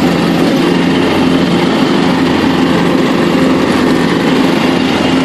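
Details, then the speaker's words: John Deere LT133 lawn tractor with Kohler Command engine, after restoration, mowing and picking up leaves under load; smooth, even high hum with no misses or stumbles, quiet at all throttle ranges; normal healthy running. "it's running good not missing the beat picking the leaves right up it's real quiet at all Throttle ranges which is really cool"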